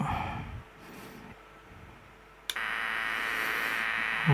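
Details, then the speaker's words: LM386 micro power amplifier fed 5 V from a bench power supply: steady thin buzz with hiss; supply hum suspected from ripple, fixed by adding a 10 µF capacitor on the supply line. "Ini ada noise, coba. Oke, saya coba pakai baterai ya. Mungkin ini karena power supply-nya nggak bagus, ada ripple atau gimana."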